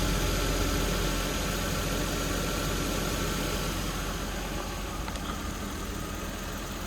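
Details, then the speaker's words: 1992 Toyota Supra MK3 turbo, automatic, about 300K, revived after sitting over 20 years. Low idle with a slightly uneven beat, three or four pulses a second; rough idle. Owner suspects low fuel, with only three to three and a half added to an empty tank. "I mean it's stumbling right now but it could be because there's not enough gas in the tank I it was a completely empty tank"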